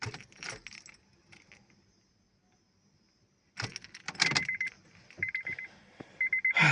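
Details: 8th-gen Honda Civic: keys jangle, then short high beeps about a second apart with no cranking at all; the car won't start and the cause is unclear.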